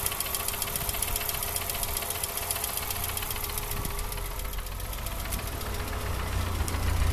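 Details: Hyundai 2.0-litre 8-valve engine at idle, tachometer needle hunting 800–1000 rpm: quick light ticking over a rough idle with the odd stumble. Worn hydraulic lifter made the tick; cylinder 1 HT lead shorting to ground caused the misfire. Replacing the lifter fixed it.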